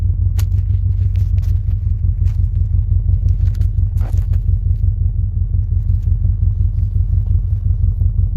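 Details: 2006 Subaru Forester EJ25 boxer, 5 speed, 260K miles, after head gasket and timing job, no leaks or check engine lights: deep, even rumble at idle, steady pulses about three per second, no knocks or ticks; normal idle.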